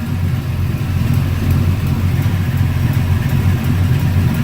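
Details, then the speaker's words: LS-swapped Dodge truck with shorty headers, after sitting in the garage, has a deep, uneven shaking V8 idle with a faint sharp tick about three times a second from a leaking exhaust donut joint, fixed repeatedly. "Yeah, she's just a shaking. God, that exhaust tick is fucking annoying."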